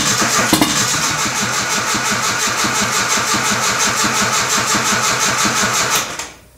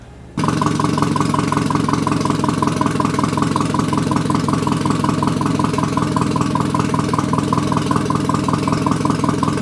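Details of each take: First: Nissan 240SX KA24E turbo on MicroSquirt ECU, first start: catches, runs ragged about six seconds then dies; injector size set wrong in the tune, throttle position sensor reading high; later missing a cylinder or two. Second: Nissan 240SX KA24E turbo build with new bearings, first start on a MicroSquirt ECU after timing adjustment, about 900 rpm. A steady, even idle with no misses or knocks. The TPS reads inaccurately and a tune is still pending. Finding: normal idle.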